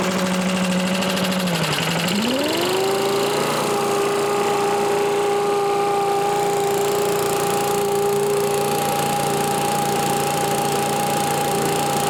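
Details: Old Lindell Litter Gitter yard vacuum's small engine, after new carb gasket: dips briefly, climbs, then holds a steady even drone with no misses or surging; running properly.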